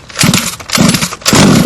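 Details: HPI Baja 5B two-stroke on 87 octane premix, primer bulb filled and choke on: three quick pull-start bursts with a brief raspy buzz as it catches on choke, as it should.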